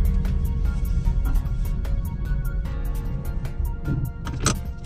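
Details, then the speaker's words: MK5 Golf 1.6 FSI after coolant temperature sensor replacement, fans previously always on: warm, steady low idle with only light clicks and no fan roar. Normal idle, cooling fan off. "no fan. That's pretty good, I think. Silence. I no longer have people staring at me because my car is making a racket, not through exhaust, but just a sounds like a jumbo jet taking off."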